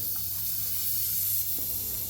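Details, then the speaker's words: Newly installed large vertical designer radiator being bled after pressurizing the system: continuous sharp hiss of trapped air escaping, no water spitting yet; radiator warm, no leaks. "Big radiator, loads of trapped air. You probably can hear the hissing noise."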